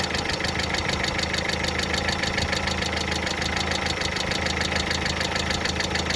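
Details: Steady light ticking, about three per second, over smooth idle: hydraulic lifters tapping after water got into the oil; fully cured by an oil change.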